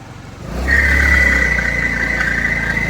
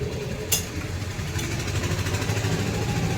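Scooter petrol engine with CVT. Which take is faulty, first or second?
first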